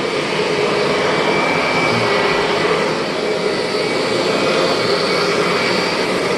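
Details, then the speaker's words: Refurbished 2001 Kirby G6 vacuum cleaner with modified transmission gears and belt, trial run: smooth steady motor roar and even airflow, no transmission whine; normal healthy running. "And if you're wondering why this G6 doesn't have any transmission whine at all, go back into my video and you'll see that I made some modifications to the gears and the belt in there, so no more whine."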